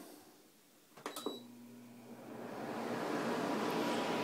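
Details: 2003 Frigidaire Electrolux 5200 BTU air conditioner after replacing noisy fan motor bearings with skateboard bearings: a switch clicks, low motor hum, airflow builds smoothly with no grinding or rattle; normal fan operation.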